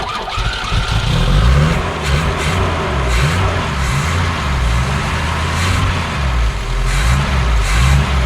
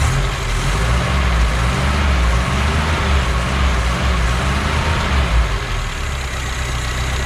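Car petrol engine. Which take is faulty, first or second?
first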